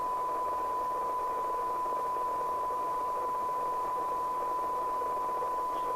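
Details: LCL Communicators NI440DX CB27/81 UK FM CB radio on the bench during receive check, 0.3 µV from the signal generator; steady test tone buried in heavy hiss, sounding wrong, poor receiver sensitivity needing alignment toward 12 dB SINAD.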